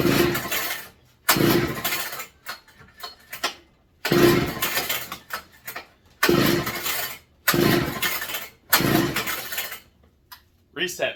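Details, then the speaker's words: McCulloch MC49 two-stroke, not run in over 40 years, fitted with a substitute 090 carb and a too-thin gasket: six pull-cord bursts, each sputtering briefly, never running on; seems flooded, owner suspects the cheap spark plug or ignition. "oh sounds like ignition related that was a cheap plug I got"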